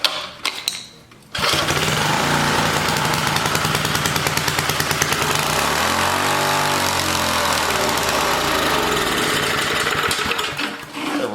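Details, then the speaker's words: 1980 rototiller small engine with air-vane governor, started with choke: runs up to a high, busy race with a sweeping pitch change; overspeeding because the governor spring was cut short and is too tight. "racing with the devil what is with this doesn't have all that much tension on it oh i see somebody done cut the governor's frame cut the end off so now it's real tight"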